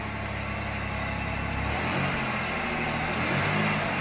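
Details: 1993 Pontiac Firebird 3400 V6 after a new serpentine belt and idler pulley and a temporary vacuum-leak fix; engine climbs cleanly from idle on a throttle blip with a steady, even note and no squeal or chirp, healthy.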